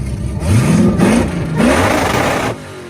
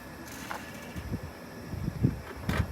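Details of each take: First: Supercharged V8 free-revving: three quick blips, each revving cleanly and dropping back with no misses or knocks. Healthy revving. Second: Lifted Hellcat with Whipple supercharger, engine seized on the road, turned over by hand via the supercharger: rough, uneven grinding scrapes every half second; blower rotors rubbing the case, supercharger failed.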